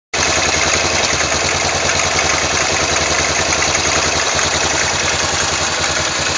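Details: Yamaha XT 500 single at steady idle: odd extra rattling tick over the thumps despite valve clearance checked and ignition set and strobe-verified; abnormal engine noise, cause unknown.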